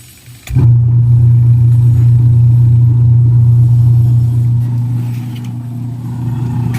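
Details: Washing machine after repair of broken gearbox gear and worn rubber damper bushing: motor kicks in and settles into a smooth steady low hum, no grinding or knocking.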